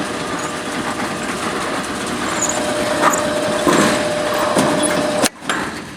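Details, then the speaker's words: LiftMaster LM21XP operator on an overhead rolling fire door, lower limit being verified. Steady motor hum and rolling rattle as the door runs down, then a clean cutoff as it seats fully without buckling. Normal door closing. "I think that was pretty perfect. Let's just double check that. The door is not buckling at all. And the door is completely seated."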